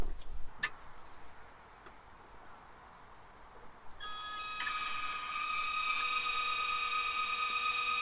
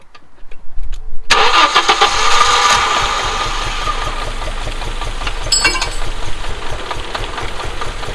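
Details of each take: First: Audi 2.2 Bosch K-Jetronic, five new old-stock Bosch injectors bench-tested by lifting sensor plate to idle, half and full throttle: quiet then steady hissing whistle rising in pitch with flow; spray pattern identical in all five, normal. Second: Audi 2.2 Bosch K-Jetronic with new-old-stock injectors, idle screw turned down from about 2000 rpm, just started: catches to fast lumpy idle with irregular pops; owner suspects over-fuelling, plans leaning mixture screw, adjusting idle and sensor plate.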